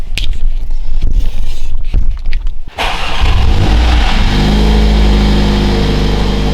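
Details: Mercedes W177 A45s first start after fitting a 200-cell sports cat downpipe with reused manifold gasket: brief starter churn, catches and settles to a steady deep idle, no ticking or puffing; no leak felt at manifold or joints.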